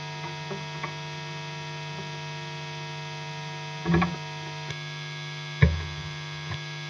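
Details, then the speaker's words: Electric guitar rig: a steady low mains hum with buzzy overtones from the bottom of the guitar, loud when turned up, broken by a few handling knocks. "another humming sound from the bottom of the guitar, when I turn it up it's loud."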